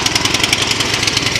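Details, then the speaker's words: Tecumseh OHV engine on a Troy-Bilt snowblower, after freeing a stuck-open exhaust valve that caused backfiring and no-start. Starts on the second easy pull into a crisp, even putter with no pops. Normal running. "there you have it no backfire started up on a slight second easy pull so clearly the problem was that Valve sticking in the overhead valve"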